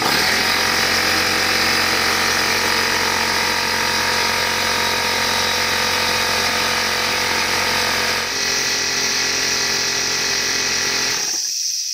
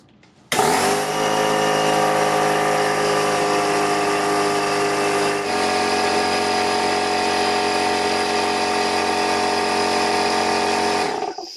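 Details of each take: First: Old Craftsman (Porter Cable) air compressor after air-leak repair, tested before final assembly: steady rapid piston-pump chugging with bright clatter, even until shutoff and hiss; building pressure normally, around 100 PSI. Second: Craftsman pancake air compressor owned about 17 years, running with the housing removed: a steady motor drone with a constant airy hiss, air escaping at the rear cover of the compressor pump head.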